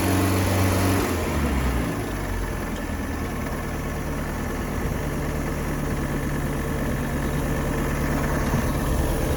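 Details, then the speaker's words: Circa-1986 Starcraft boat engine, stored about six months, running on water hookup; brief higher speed at start, then steady, even low idle with no skips or stumbles while warming up. Owner reports a miss once at operating temperature, not yet shown. "see water coming out right here in this area it's a running very well as a very good Idol"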